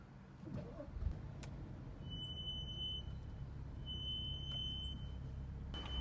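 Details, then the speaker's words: BMW M235i with M brakes, pads changed two weeks earlier, in stop-and-go city traffic: high thin squeal in bursts of about a second as the car slows, initial squeal on braking that fades, ongoing for about six months. "It's funny now, there's an initial squeal when I hit the brakes, and then it goes away."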